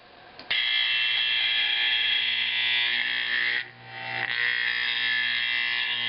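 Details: Simplex 4051 24 V horn during conversion to 24 V AC 4050, adjusting bolts: loud raspy buzz at a steady pitch with only a brief dip; horn clean and even, properly adjusted.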